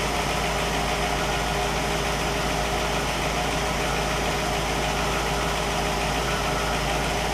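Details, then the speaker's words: 1960 Pontiac Catalina 389 V8, warm engine, checked with a 1960 Heathkit IO-20 ignition oscilloscope showing ignition spot on: steady, even idle with no misses, knocks or hunting, constant smooth rumble. Normal warm idle. "so we've got a good running good working tester and a good running engine"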